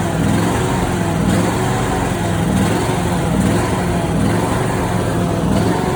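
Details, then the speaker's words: Simplicity Prestige mower with 27 hp Briggs & Stratton V-twin, original Nikki carburetor, before carb replacement: uneven running with irregular pops breaking through the exhaust; backfiring and popping from the faulty carburetor. "I'm gonna go ahead and run the mower itself so you can hear how it's backfiring and popping."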